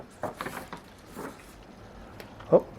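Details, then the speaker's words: Windshield wiper on wet glass after straightening the blade's rubber holder so the blade sits aligned: soft, even swishes about every second with no chatter or judder, a clean normal sweep. "Ele não consegue mais trepidar. Por quê? Porque ele alinhou a membrana, a borrachinha que está raspando no vidro, ela está mais alinhada do que antes, então ele não trepida mais e não produz mais aquele barulho."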